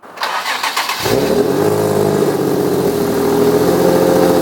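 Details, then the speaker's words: Nissan 350Z cranks, catches and settles into a coarse, blatty idle with a raspy chuff; exhaust leak from a Y-pipe whose flex section is blown, before replacement with a new Y-pipe. "the y pipe is not good it's literally blown by the little um i forget what it's called but it's like the little the flex the flex side of it"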